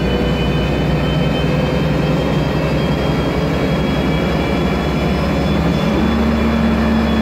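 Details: MAN Lion's Classic CNG city bus, MAN E2876 LUH03 EEV turbo engine, Voith DIWA 864.3 four-speed automatic gearbox: steady whine climbing in pitch as the bus pulls away over engine drone; noisy automatic transmission.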